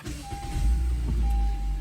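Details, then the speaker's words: 2015 Honda Civic push-button start after starter replacement for an intermittent no-start: brief crank, then it catches within a second and settles into a steady low rumble. A clean start, the tenth in a row. "I got everything back together this is start number 10."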